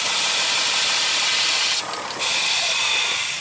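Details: 2000 Chrysler 300M running in closed loop with the purge vacuum line unplugged: loud, steady high-pitched hiss of air rushing into the open line, briefly dropping as the line is slowly pushed back on.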